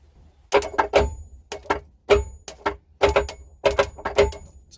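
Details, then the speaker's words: Old two-stroke jet ski that sat for years, with the battery just hooked up: sharp, irregular clicks in quick clusters, about ten in five seconds, with no cranking. The owner suspects the starter, not yet confirmed. "hopefully you can hear the clicking um i'm hoping i believe it's really like i said before just the starter"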